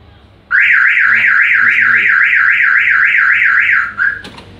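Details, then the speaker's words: Car alarm sounds by itself with a rapid warbling siren sweeping up and down about four times a second; the LED stays lit, and one likely cause is linked to the brake lights. "oh kalau alarm bunyi sendiri Anda lihat lampu LED menyala terus inilah eh salah satu penyebabnya berhubungan dengan nyala lampu rem ya"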